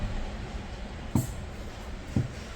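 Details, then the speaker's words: LPG car with crank no-start, scanner actuator test of the engine-room fuel cut solenoid valve: crisp clicks about a second apart over low hum, valve opening and closing cleanly, judged good; the tank-side valve later found not clicking. "똑딱 똑딱. 자, 여기서 똑딱 똑딱 똑딱. 그렇죠? 이렇게 소리가 경쾌하게 들리는 것은 밸브가 이거는 양호하다, 그런 뜻이거든요."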